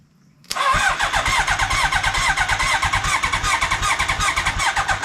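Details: 1980 Honda CB900-engined lawnmower trike that sat for years, cranked on a jump starter with choke on: steady fast starter cranking with even compression pulses and no firing. Owner suspects no spark. Cause not confirmed.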